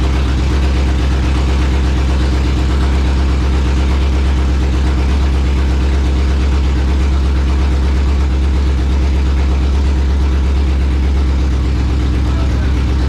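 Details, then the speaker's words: Ford Coyote V8 on its second start: deep, even burble holding a steady low idle with no ticks or knocks, smoothing out as it runs; sounds healthy. "I think that's as much as I want to let it run with no sounds pretty awesome did you hear it start to smooth out"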